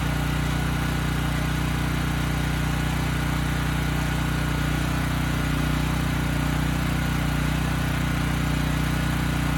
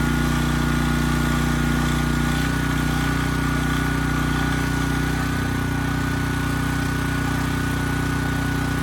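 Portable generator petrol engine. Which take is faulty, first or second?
first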